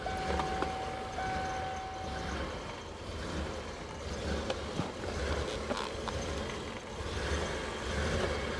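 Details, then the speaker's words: 1998 Ford Econoline 350 5.4L after a fuel pump and filter were fitted (35–38 psi, in spec): runs like crap, uneven loping idle with irregular low thumps; fuel trims extremely rich. "in any case I get the truck running and the truck runs like crap so I'm gonna take you with me show you what we got"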